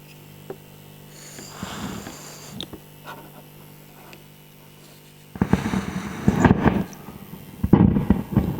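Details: Fender Hot Rod DeVille tube amp: quiet hum, then loud irregular crackles and pops bursting in erratically; breath blown across a connector seems to trigger it, but taping the pins didn't stop it, so cause not pinned down.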